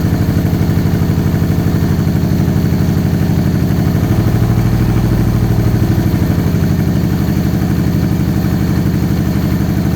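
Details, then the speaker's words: Supercharged 2013 Victory Cross Country V-twin, first start after sitting over a year: a lopsided, loping idle with uneven pulses, running on one cylinder. A damaged front plug wire was not making contact and fouled the front plug; the wire was replaced. "all right sound like it's only running on one cylinder let's try out some different plug wires"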